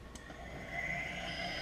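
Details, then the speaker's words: Kunming KXM10 cutter grinder (Deckel clone) started for the first time today, with 3-phase power from a single-phase Yaskawa VS Mini inverter and a 5-second soft start. The spindle spins up to a smooth, steady high whine near 5,000 rpm (advertised 5,200). Normal. "but as you could hear it runs like a top somewhere in the 5,000 rpm range I believe it was advertised as 5200 rpm I believe"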